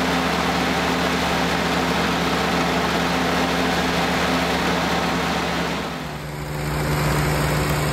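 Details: 1946 Willys CJ2A Jeep started for the first time in nearly five years after storage, with Marvel Mystery Oil put in the cylinders and choke half out; steady low idle at about four pulses a second, oil pressure up, engine idling normally.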